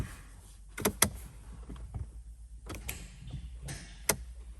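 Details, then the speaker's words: Mercedes CLS63 AMG V8, first start attempt after a starter motor was installed: several sharp scattered clicks with no cranking as the starter activates; engine will not turn, and the crank will be turned by hand to check for seizure. "oh it's clicking what's happening there there the battery so unfortunately it seems like the car is not starting up still but as you can see you can hear the clicking sound so the stter mot is definitely activating at the moment"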